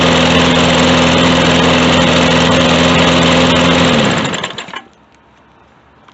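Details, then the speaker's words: Lawn Boy mower with 150cc Briggs & Stratton TB200, very dirty air filter: loud, slightly uneven wavering running then shuts down; rough running, believed to need a carb cleaning. "guys so it definitely sounds to me like it needs a carb cleaning"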